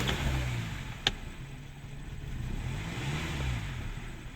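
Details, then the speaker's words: 2013 Hyundai Sonata 2.4L, first start after engine/transmission replacement and coolant refill, check engine lights on: clean rise and fall of revs, smooth even note, no knocks or rattles; engine sounds healthy. "okay so it's not sounding bad let's go out here and uh see if we can get it to stay idle"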